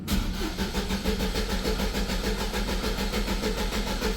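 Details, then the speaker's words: Engine not started for three days; owner says it is not a fuel issue after Schrader valve work: steady starter cranking at about three compression pulses a second with no catch for four seconds; hard start, long crank. "okay so we know it's got a hard start and shut that off maybe that'll help"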